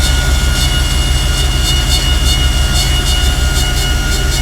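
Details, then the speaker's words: 1994 Chevrolet 3500 bucket truck with a fairly new engine, mileage and hours unknown: the PTO hydraulic 110 V AC generator is switched on and the hydraulic pump engages, giving a loud steady engine drone with an even pump hum and faint pulsing. It works normally. "And you just turn the generator on. You hear the hydraulic pump come on."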